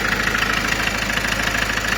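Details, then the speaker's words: Ford Mondeo MK5 2.0 TDCi DW10F diesel, about 370,000 km, after oil pump failure repair with low oil pressure fault, reassembled with injectors and pumps refitted: steady idle with typical even injector clatter, no extra knocks; healthy. "Żyję, dobrze ma się. Klepie jak typowe DW10 F, ale nic nie sztuka."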